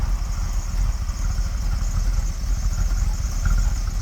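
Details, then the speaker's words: 1981 Bombardier Wide Gauge, rebuilt 318 V8 with 727 Chrysler transmission, just fired up after sitting about 2 years: low, slow, even rumble idling about 600 rpm (could be raised to 700-800), no knocks or misfires; clean normal idle. "Turn the key and go. Idling about 600, it could be turned up to 700 or 800 for idling."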